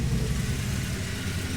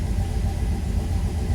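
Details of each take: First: Turbo Dodge Dakota V8 on new Holley EFI after wiring fix: deep steady rumble, even beat, no stumble, now firing cleanly on all eight cylinders and sounding much better. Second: Turbo Dodge Dakota, first start on new Holley EFI ECU; steady deep fast idle that holds without dipping. 45 psi fuel pressure, 60 psi oil pressure, 14.6–14.7 V charging; idle air motor open about 70%, too high.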